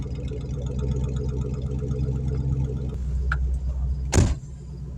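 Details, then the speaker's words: Mustang GT V8 with cylinder 4 misfire code after timing chain job and unmarked coils swapped: idle with uneven stumbling exhaust beat that clears out; intermittent misfire, cause not pinned down. "just not quite right i mean a little bit of a misfire there seems to clear out though kind of weird"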